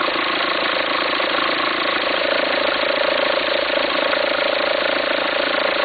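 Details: 2004 VW Passat 1.9 TDI diesel idling: rough, regular flutter of about 207 a minute over the clatter, an irregular belt-drive rumble. Belt appears to jump with the noise. Owner suspects a worn pulley and asks whether to replace the pulley or the alternator.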